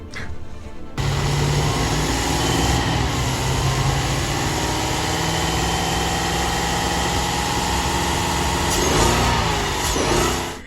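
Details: 2017 Chevrolet Traverse with a cylinder two misfire, after the battery was disconnected about 30 minutes: engine catches after a short crank and settles into a steady, even idle with no stumble or misfire.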